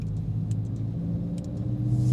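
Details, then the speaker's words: 2022 Subaru WRX driving a bumpy street after the sway bar end links were retorqued to 40 instead of 33: only low, steady road rumble with a very faint remaining noise and no clunk. The suspension is about ten times quieter than before. "I don't know if you guys can hear it it's so faint but it is this is like 10 times better than what it used to be oh yeah this is like considerably better"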